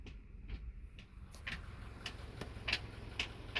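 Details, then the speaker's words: 2015 Subaru Crosstrek after another dealer repair attempt, still locking up into reverse until it rolls slightly: a few sharp, irregular clicks about once a second over a quiet idle while shifting into reverse, like something loose, a new abnormal noise also heard going into 5th. "There's a very weird noise. Sounds like something's loose. That's not a normal noise for shifting into reverse."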